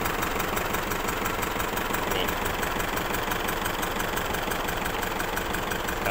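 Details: Isuzu D-Max diesel, hard to start, smelling of unburnt diesel, with water in the oil on the dipstick. Uneven, stumbling idle of about three irregular pulses a second, running on three cylinders. Head gasket burnt from overheating.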